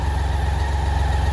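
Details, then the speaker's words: 1986 BMW K75C, still slightly warm, on half choke; even idle pulse with a thin steady hiss and faint whine from the fuel pump: normal. "fuel pump hissing inside there."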